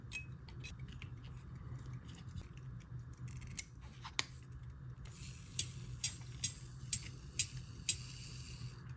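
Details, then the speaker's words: Circa 1820 verge fusee quarter-repeater pocket watch, movement just refitted in its case: repeater strikes about two a second as dull, short dings with little ring; owner suspects the gongs now touch the case. "Oh, that sounds horrible. Well, it could just be that the gongs are now touching the side of the case."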